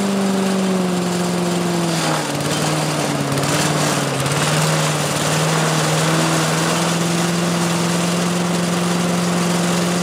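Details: 1985 Billy Goat leaf blower, Briggs & Stratton 8 HP single-cylinder, after new spark plug, oil change, air filter and replacement gas tank: firm even drone, brief pitch dip then back to smooth full speed; normal running.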